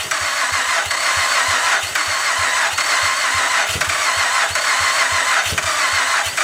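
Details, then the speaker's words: 2008 Honda Pilot on its first start after an engine swap, with some popping heard just before: the engine catches and settles into a steady, even idle with no knocks or misses, sounding healthy. "Oh, it sounds good though."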